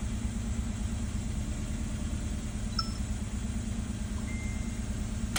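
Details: Kia idling smooth and even with a steady low hum and no shake, after repairing the open injector circuit on cylinder two and clearing the codes; rough-idle shake is gone, normal idle.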